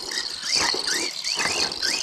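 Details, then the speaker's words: Hobbytech Rogue Terra RC monster truck on the track after hitting a big piece of scrap metal: rhythmic high chirping squeal rising and falling with wheel rotation plus rattly clicks; now pulls to one side, cause not yet checked. "Alors il se peut que je lui ai mis un gros taquet à la voiture. Ouais, ça clique, ça clique, ça clique, ça clique."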